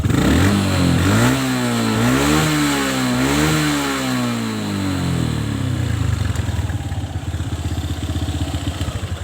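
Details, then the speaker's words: Kawasaki ZX motorcycle engine, revs climb and fall, then loud rattly clatter as throttle snaps shut, quieter at idle; no exhaust smoke; mechanic suspects worn, loose piston. "tapi saya kalau gas saya geber langsung saya lepas gas Suaranya sangat keras ya adanya di dalam suara mesin sini"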